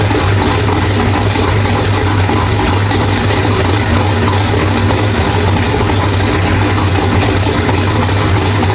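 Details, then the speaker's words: Drag-race V8 with Powerglide, after loose ARP flex plate bolts found, new ATI flex plate and stator installed; deep steady lopey idle, running rich, no bellhousing rattle or knock; sounds healthy after repair. "All right, guys. Well, everything sounds really good. Wow, that thing is rich in here."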